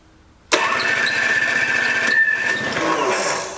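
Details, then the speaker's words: Old 1980s Toro S-200/S-620 two-stroke snowblower, spark present but plug dry, given a shot of priming spray: engine bursts into life, runs rough about three seconds, then fades and dies, burning only the spray; cause suspected, unconfirmed. "give it a good shot because that plug was dry"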